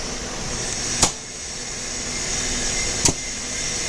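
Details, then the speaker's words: Electrical contactor after cleaning its burnt, blackened terminals and checking the coil seating and spring: the earlier humming is gone, leaving only a soft, steady hiss and two light clicks with no buzz or chatter. Normal contactor operation. "तो आप देख सकते हो ये बिल्कुल ही sound खत्म हो गया और बहुत स्मूथ साउंड है इसकी"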